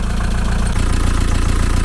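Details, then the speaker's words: 1987 VW T3 camper with AHU TDI diesel after a turbo replacement, idling: steady low clatter with slightly uneven pulses, a mild lumpy idle; owner suspects a leaky injector, not confirmed. "I'd say I'd probably do something else and the reason being is because there's a slight lumpiness to the idle and that would explain it"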